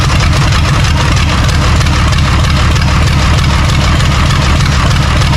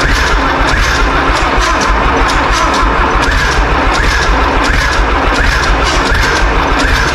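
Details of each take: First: John Deere 3130 diesel tractor at first start after standing: steady, even diesel clatter at idle with no misses or knocks; brittle fuel leak-off pipes were leaking diesel. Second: John Deere 3130 diesel tractor on first start-up after sitting, cold; loud, lumpy thumping with a beat missing from the rhythm, misfiring, probably one cylinder; sounds like it needs heat; something possibly getting in suspected.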